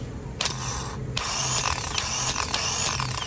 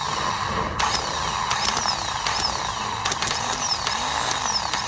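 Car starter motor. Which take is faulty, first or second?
second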